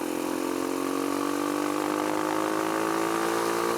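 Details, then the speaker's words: Kawasaki KLX140 with a newly installed KX65 carburetor on its first test ride: steady, clean tone climbing evenly at quarter throttle, no stumble; smooth running at low throttle, though it falls flat and bucks at half throttle. "when a low throttle what's real good that's just a quarter throttle right there"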